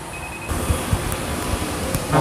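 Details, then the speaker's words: Carbureted Piaggio Vespa LX scooter after servicing: steady, quiet single-cylinder putter at an idle set near 1,370 rpm (1,400 spec). It had been hard to start with an unstable idle and used 6 L/100 km; now about 3 L/100 km. "tiếng máy xe đã ngủ rất là êm Rất là nhẹ"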